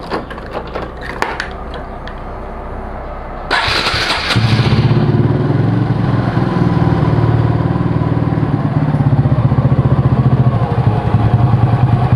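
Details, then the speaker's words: Honda Supra motorcycle after clutch work, worn clutch housing gap measured at 1.5 mm, and magnetic oil drain bolt fitted: starts within seconds, then settles into an even single-cylinder idle, no knocks or rattles; sounds calm, rpm rises quicker. "Suaranya adem, cuman perbedaannya RPM-nya sih naiknya lebih cepat ya."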